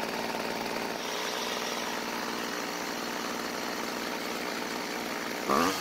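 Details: Old Homelite two-stroke string trimmer with lines primed: steady, even idle buzz with no misses or surging; idles and revs fine, L screw left unadjusted.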